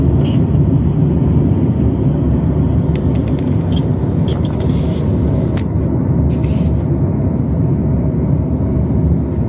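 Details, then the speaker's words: Honda CR-V turbo that hissed when accelerating from about 45 km/h, after tightening the air intake clamp, test drive at about 50 km/h: low even road rumble with no hiss or whoosh; boost leak fixed, normal acceleration. "So, as you can see, I'm driving at 50 km over 50 km/ hour and the sound is okay and it's not happening again."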